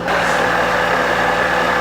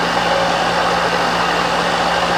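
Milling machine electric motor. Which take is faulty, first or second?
first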